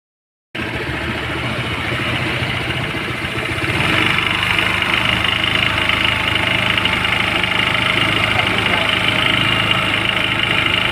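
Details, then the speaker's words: Brand-new Honda ADV scooter, one day old, 41 km: loud raspy whir and rattle from the CVT belt side at idle, with strong clutch drag and vibration. "So yun mga tropa ito yung bagong release na ad so isang araw pa lang to ganito Kaingay yung panggilid tapos Napakalakas ng dragging nito mga tropa lakas pati ng vibrate y kung maririnig niyo napakaingay talaga niyan"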